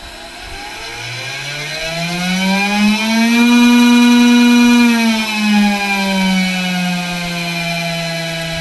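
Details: Makera Carvera Air CNC spindle after replacing a broken small internal pin in the ATC tool-change block that rubbed, overheated and caused speed errors: clean even whine climbing, holding, winding down, no rattle or grinding; normal spindle run after repair.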